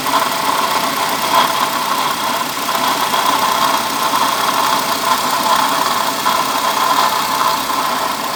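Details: Steady idle with a constant, gritty, mid-pitched whine that never lets up, suggesting a worn bearing; a bad water pump is suspected.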